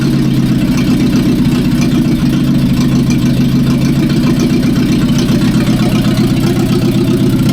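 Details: 1945/46 Allis Chalmers Model B tractor, magneto ignition, first run after about 20 years parked in a barn, cylinders oiled before starting: even, low four-cylinder putter at steady idle with no misses or knocks, running sweet.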